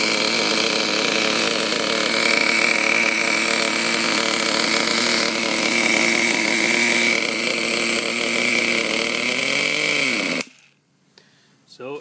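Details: Small outboard, warm, with the high-speed mixture screw opened to about three and a half turns out and extra fuel forced in: buzzes fast and rough at high revs, rising briefly then cutting out; it runs only very rich and is hard to start.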